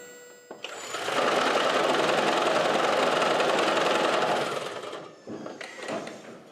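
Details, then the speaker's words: 2011 Toyota Prius hybrid with a single-cylinder misfire created by disconnecting the cylinder 1 ignition coil: loud, harsh rattling clatter at three to four beats a second from the torsional damper between engine and transaxle, often misdiagnosed as transaxle failure. "as you can see on this 2011 Toyota Prius something as simple as a single cylinder misfire from the coil that we disconnected caused that horrible noise"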